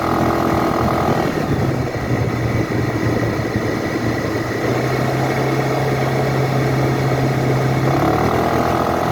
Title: 2012 Suzuki Burgman knocking sound under acceleration, just sound , no video